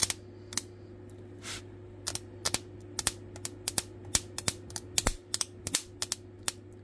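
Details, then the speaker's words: Mains transformer driving old Nvidia GPU chips from broken motherboards. The screws touched each other and one turned red hot. Sharp irregular cracking pops, 2–3 per second, over a steady low mains hum: a dead short arcing at the contacts. "oh now it's popped oops I just touched the um actual screws on to each [Music] other oh this one popped hard oh it popped"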